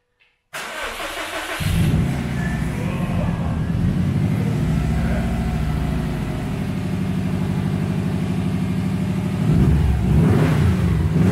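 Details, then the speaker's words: Subaru STI engine swapped into GC8 chassis, first start without radiator fitted: cranks briefly, catches, settles into steady even idle with a clean rev near the end; runs super smoothly, normal start and idle. "I'm not sure if you can tell, but it's running super smoothly right now."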